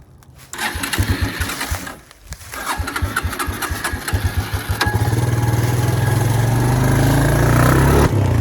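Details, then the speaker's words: Suzuki Quad Runner LT160 ATV single cylinder coughing to life on ether, uneven firing about four per second settling to a rough steady run, testing whether it drives; first gear works, fuel supply problem, carburetor cleaning suspected. "Let's fill this thing up with ether again and see if we can get it to drive itself."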